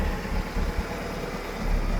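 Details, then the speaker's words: Petrol engine idling after new spark plugs and wires and re-seating loose plug wires that had caused a missing, puffing idle: low even rumble with no miss or knock; normal idle. "And I got them all on there nice and tight now. So everything is snapped into place and tight, and man, it's running so nice and smooth now."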